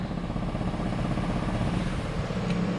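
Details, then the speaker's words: Pickup V8 at idle after storage: soft rhythmic pulsing over the idle; noise stops when EVAP purge solenoid and tank EVAP pump are unplugged, confirming EVAP system; owner suspects a leak or pulsing part vibrating against something. "I think it might have something to do with like the EVAP system the purge valve or something like that"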